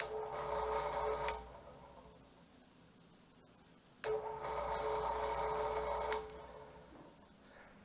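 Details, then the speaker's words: Drill press 120 V AC motor after its failed start capacitor was replaced with a new one. Two clean switch-ons, each with an immediate steady hum and no groaning or stalling; it now starts on its own without a push start. Normal. "And with the new replacement capacitor in place, we'll turn it on and show you that it starts up without having to push start it like we did"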